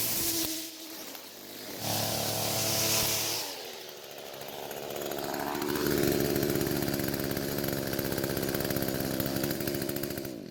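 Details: Echo string trimmer after a new carburetor diaphragm improved fuel flow: a steady high-speed two-stroke buzz, revving cleanly without stumbles or surging. It is running a whole lot better.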